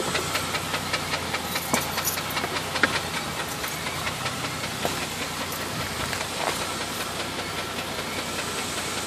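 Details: Jeep Grand Cherokee petrol engine idling with an irregular knock, about two to three a second, under a steady hiss; owner considered the flexplate but the noise seems to come from further forward, mid to upper engine.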